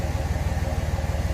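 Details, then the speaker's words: 5.9 Cummins diesel just after a new warranty starter was fitted. It starts and settles to a steady, even low idle with no knocks or misses. The old starter was the culprit; the new one sounds healthier. "wow all right starter was the culprit yeah this one the starter even sounds different than the old one brand new so yeah that that sounds a lot healthier than my old one"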